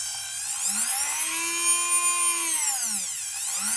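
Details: Nail file motor running after a faulty speed-control transistor was replaced (LM317 speed regulator circuit): high-pitched whine sweeping up and down with speed, with a rough buzzing edge from a dry, worn motor bearing that needs oiling.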